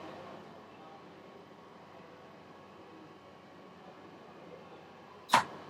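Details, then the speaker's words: Steinen CBA 2006/2012 control panel: quiet room hiss, then one sharp click as the heating contactor drops out once the set temperature is lowered below the actual 11.9 degrees, turning the heat off; normal contactor switching. "There, it's just clicked off at that stage. So the heat's now turned off."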